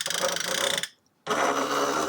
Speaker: So, here's the print head, the dot matrix printer. So, it actually moves very easily, and it makes kind of an odd sound, but it is normal.